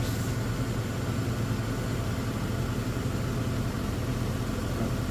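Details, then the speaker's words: Toyota 4Runner after 3.4 V6 swap, 280,000-mile engine that sat long: returns from high idle to smooth, even idle with no misses; slightly smoky, later odd gurgling/ticking possibly thermostat. "When I push it down, it just idled down, so, which is good. I was worried that it was going to be stuck high idling there, so."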